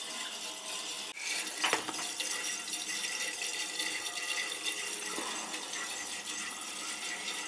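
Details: Water rushes steadily from an upstairs tub tap with sputters and whooshes as trapped air is bled from the lines after refilling a gas water heater tank, following repair of leaking water connections; air purging from water lines.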